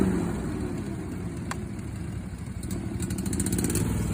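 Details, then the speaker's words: Skag mower, comparison against a Lesco with odd blade noise: steady low engine drone with even beat and blades spinning smoothly, no odd noises; blade engagement sounds normal. "hear it sounds normal like a mower would right"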